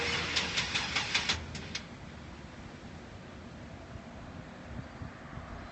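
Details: GMC Safari van that won't start: about two seconds of rhythmic cranking chugs that die away without the engine firing; the starter is suspected.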